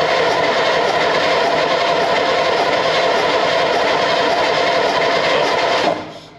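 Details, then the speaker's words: Second AEC Matador diesel engine on a stand, timing and tappets checked: steady fast cranking that never catches, pure diesel fumes rather than oil fumes from the engine; fuel present. "now normally what would come out of here if you got an old worn engine would be you know oil fumes we're getting pure diesel fumes"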